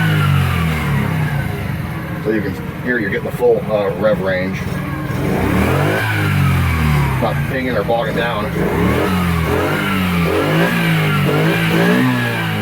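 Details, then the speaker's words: Kazuma Meerkat Chinese quad, small single-cylinder with Japanese carburetor, after idle and mixture screw adjustment: revs cleanly up and down through the full range, no pinging or bogging; runs pretty good though still needs a couple things. "it runs pretty good though still needs a couple things for sure"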